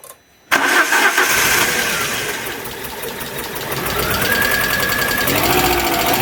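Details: Alfa Romeo 147 Twin Spark that arrived by tow truck with misfires, very rough idle and hard starting: brief uneven cranking, then it catches and runs roughly with a fluttering tone; low compression on one cylinder suspected, not confirmed.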